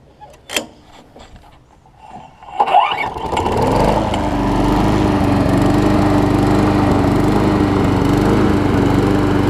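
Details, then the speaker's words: Briggs & Stratton Quantum push mower (Southland) after dirty carb cleaning and pull rope repair: pull start, uneven catches, settles within seconds to an even, quiet steady run; healthy. "It takes a second for it to steady out. It's a nice quiet runner too."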